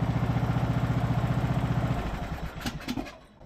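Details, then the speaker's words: Ariens riding mower's small single-cylinder engine restarts without choke and drops to an even, steady idle putter of about four beats a second, with no surging; it is a normal start and idle. "started right up like it's supposed to. Goes right down to idle. We'll see if it cranks right back up with no choke now at idle. Perfect."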